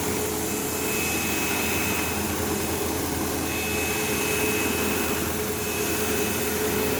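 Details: Sebo Automatic X5 upright vacuuming a living room: constant motor roar with a steady high buzzing whine, occasional belt-slip-like squeal; the belt was checked, and brush roll vibration, possibly from play on its shaft, is suspected.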